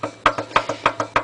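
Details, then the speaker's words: Mower engine turned by rocking the blade plate back and forth by hand: sharp wooden knocks about three per second, something loose in the bottom end, probably the rod; water in fuel tank also noted. "I'm rocking the um blade plate backwards and forwards and you can hear the Mad knock in that so I imagine that'll let go quite well"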